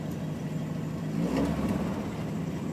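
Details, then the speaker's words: Petrol engine with a Spica injection pump warming up at idle: a steady low hum with a brief swell, the idle easing down as temperature reaches the 160-170 range; exhaust pops through holes in the pipe, no backfiring. "The idle's going to start to come down now because we're hitting the 160-170 range."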